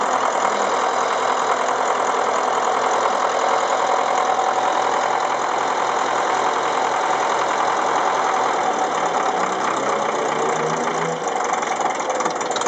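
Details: Ferguson TEF-20 diesel tractor first run after full engine rebuild (pistons, liners, bearings, valves, springs, clutch, seals), injection pump re-timed after being 360° out: steady, even clatter at settled idle, no misses or knocks; normal.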